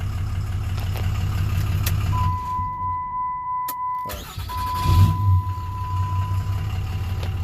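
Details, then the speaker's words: 2007 Dodge Ram 2500HD 6.7 Cummins, just restarted and starts right up; no crank/no start fixed with ECM, not TIPM; aftermarket parts, awaiting tune. Steady, even low diesel clatter at idle, no misses or knocks: runs well, normal idle. "so yeah it runs awesome for what it is of course we'll have to get the uh the guy ordered the tune for it"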